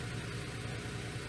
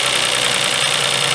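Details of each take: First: 2004 Toyota Sienna 3.3 L with a crank no-start, running after a blown fuse was replaced, code P0354 for coil 4: low, lumpy, shaking idle with a stumbling beat as one cylinder drops out. Misfire traced to a broken ignition coil connector. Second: 2004 Toyota Sienna 3.3 L after a crank-no-start repair and replacing an ignition coil boot/connection: steady, even idle with no shake or miss; the ignition wires are still suspected.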